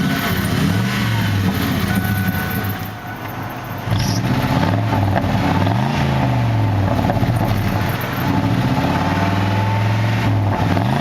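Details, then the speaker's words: 1993 Lincoln Town Car V8, about 289,000 miles, dual exhaust, rough shape: deep even burble at idle, smooth clean rises and falls on quick revs, no knocks or misses; sounds healthy. "this sounds pretty sweet by the car with almost 300 K on it"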